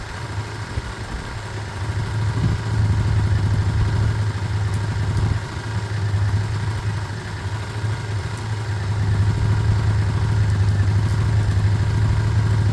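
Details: Single-cylinder 125 motorcycle (Lexmoto Michigan or Herald Classic 125), said to be practically done, idling a couple of minutes to circulate oil. A steady, even low idle with an unbroken beat and no knocks or rattles. It is a normal warm-up idle.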